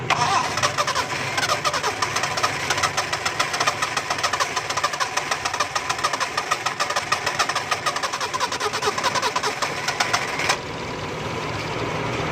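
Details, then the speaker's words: Four-cylinder car (firing order 1-3-4-2) that wouldn't start after pressure washing got water on the engine, started after spark plug wires were removed and refitted: cranks, catches and settles into a steady idle with ticking valvetrain; normal start and idle. "देखें दोस्तों गाड़ी स्टार्ट हो गई है।"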